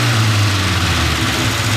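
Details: Austin A40 Devon restomod with progressive two-barrel Weber carburetor at idle: steady firm even rumble, no stumble or surging; idles smoothly, though owner notes hesitation off idle when accelerating.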